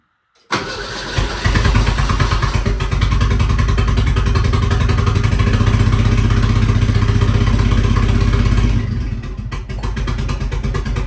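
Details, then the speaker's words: 1959 Mercedes body on an '87 Ford Thunderbird Turbo Coupe chassis, first start in about 30 years after priming the fuel pump. It cranks, catches, then runs loud and lumpy with a stumbling beat: misfire from the wrong firing order. "It doesn't run the greatest, but it runs. This is technically the first time that this 1959 Mercedes has run in 30 years."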